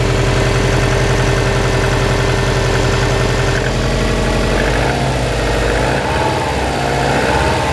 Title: Subaru Impreza WRX 2002 (US) Piston Slap cold engine 1